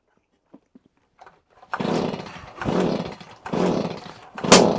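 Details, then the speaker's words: Stihl HS45 hedge trimmer, primed and choked; uneven bursts on each start attempt end in a sharp bang; backfiring on start, flywheel timing issue suspected but not confirmed. "Bang! Hear that backfire? Oh, naughty, naughty machine."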